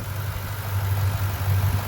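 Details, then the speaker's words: 2009 Ford Mustang GT V8 after new lifters and cam phasers: deep steady idle rumble with even beat, no lifter tap or knock, only loud injector ticking; idling healthy after repair. "I can hear there's no more lifter tap all you hear is just the uh injectors the loud injectors on these engines which they are pretty loud"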